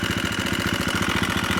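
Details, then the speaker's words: KTM first run after long storage and no-spark fix: fast even firing with loud metallic top-end clatter; owner suspects slack cam chain, manual adjuster may need tightening, not confirmed. "Loud, but it's got a Nihilo manual adjuster for the cam change, so I might just need"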